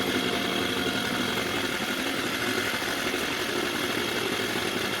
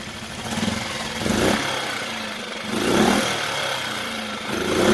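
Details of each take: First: Mercury 4/5 hp two-stroke outboard, fitted with a new carburetor after a no-start, buzzing at a fast, raspy idle that never settles; the idle speed is set too high and needs reducing. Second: Mercury 4/5 hp two-stroke outboard, new carburetor, idle turned down after a no-start fix: slow, soft steady putter at low idle without stalling; normal low idle.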